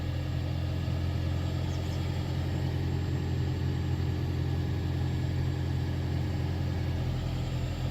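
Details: 2013 Toyota Prius C cabin blower after the noisy motor was replaced with a new assembly: a smooth, steady low hum with no rattle, tick or squeal. Normal, quiet blower operation.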